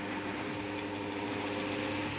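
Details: MD evaporative air cooler fan, model F-A055R, repaired for a motor that groaned and wouldn't spin: a steady motor hum with one constant mid tone under the air rush, no groaning or drag. Runs smoothly.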